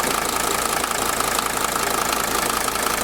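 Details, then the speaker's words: 1983 Mercedes W123 300TD, OM617 diesel, warm, after mechanical lift pump rebuild: steady clatter at idle with even beat under some hiss, no misses or hunting; no fuel or oil leaks; healthy idle. "well I don't think you could have asked for a better startup than that jeez"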